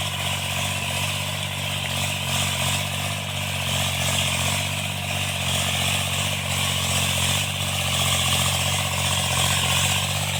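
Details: Tractor diesel cultivating after an engine-knocking repair: steady, even drone holding its pace with no knocking coming through, running normally and healthy under working load.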